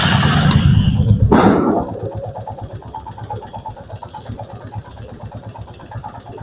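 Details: Royal Enfield Classic 350 after a blip settles to slow idle with light regular tappet tick from the top end; normal valve-train noise, needing adjustment only if it grows very loud from increased valve clearance.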